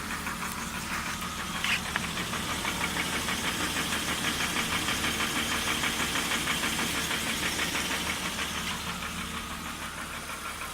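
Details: BMW E39 petrol engine at idle: a steady, sharp knock about three times a second that goes away when the oil filler cap is lifted; the cause is unknown.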